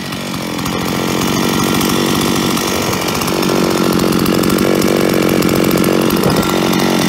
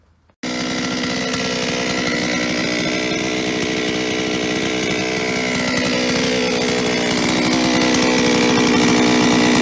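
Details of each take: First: Solo 644 chainsaw, about 20 years old, after replacing a worn piston (0.12 mm cylinder clearance) that caused metallic clatter, especially at idle: strong steady roar holding at high revs, hard metallic clatter gone, barely a trace left; running healthy. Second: Solo 644 chainsaw, many operating hours, before repair: busy metallic rattle over the engine note, especially at idle, from worn piston with 12/100 mm bore clearance; piston slap.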